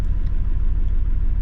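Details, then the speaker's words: Nissan Skyline R31 TI on its first drive in over three years, low fuel: uneven low-rpm thumps and skipped beats, a proper misfire down low, jittery until revved when it runs on all six. "yeah it's got a misfire it's not like before but it was like dropped a cylinder misfire it's like properly misfiring"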